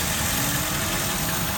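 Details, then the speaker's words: Mercedes ML500 W163 with check engine light for lean condition banks 1 and 2: steady airy hiss over low even idle from a large vacuum leak at the rear of the engine near the intake manifold, probed with a hose. "It looks like it's hitting the intake manifold, but you can hear this thing hissing."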